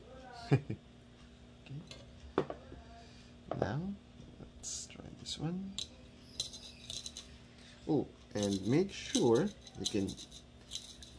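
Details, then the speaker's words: Airsoft Ver3 gearbox with helical gears during shimming, spun by hand: uneven bursts of scraping rattle and clicks as the spur gear rubs its shim. It needs reshimming at the bottom. "probably hear it um spur gear is hitting my ship not [ __ ] my bushing so it really needs something at the bottom"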